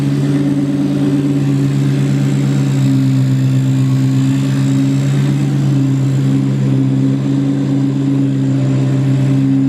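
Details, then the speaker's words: Rebuilt 2003–2004 SVT Cobra (Terminator) supercharged V8 at first startup after full rebuild, idling: steady low whir like an old gear drive, no knock; owner suspects alternator or pulley, not engine internals; cause unconfirmed. "So, I'm kind of thinking I might have goofed up the alternator. This might be on me, guys. Um, I don't think it's in the engine, which is a positive, but I think that noise you're hearing that sounds like an old gear drive on your"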